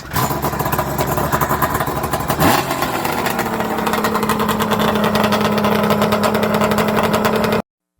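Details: 1994 Arctic Cat Thundercat 1050cc Hooper big-bore triple two-stroke, being rebuilt for drag racing: loud, raspy exhaust revs up and settles into a fast, steady, sharp buzz with no knocking. Normal running, sounds healthy.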